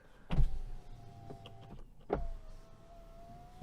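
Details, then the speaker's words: Cheap Chinese SUV electric windows: loud droning motor whine at steady pitch through each glass travel, clunk at start and stop; noisy power window motor. "Those motors are really noisy. That's the worst one."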